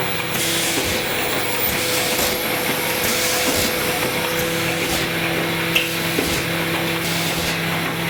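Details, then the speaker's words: AccuCreaser air-fed machine in crease mode with under-250 mm sheets (trifold): constant airy vacuum pump hiss with a soft rhythmic pulse as each sheet feeds; healthy, normal operation. "Send a single sheet through so that the machine measures it. Press accept, and then run and feed."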